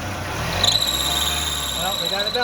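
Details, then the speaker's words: 2001-04 Kia Rio after belt change, steady high squeal rising over idle from a loose alternator (back) belt slipping on its pulley. "we got a belt squeal. Which one is it? I bet it's that back belt."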